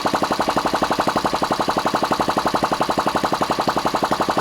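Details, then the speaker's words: Ariel Pixie motorcycle engine, about 4 hp, running with no exhaust pipe or silencer fitted and tickover set slightly fast: loud, open tickover near 230 beats a minute with light valve rattle each beat. Normal valve gear rattle. "Probably a little bit fast now, but all in all seems to be alright. You can hear the rattle of the valve here."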